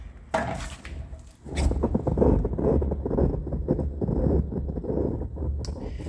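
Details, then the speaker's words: 1986 U-Built utility trailer axle during greasing: slow rough grinding and scraping each revolution; worn wheel bearing wearing into the axle, grease not expected to help. "so um when i put my hands on a tire i can feel the grinding that's happening with the axle so the bearing is wearing on that axle which is why it was shiny when we cleaned it"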